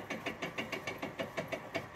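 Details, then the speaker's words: Vintage Cyber Light fixture reset with lamp not struck, fans running: soft regular whirring buzz pulsing about six times a second as motors home; normal reset sound. "fans came reset o it's windy right there is that what it's supposed to sound like yeah it's funny all highend fixtures sound like old"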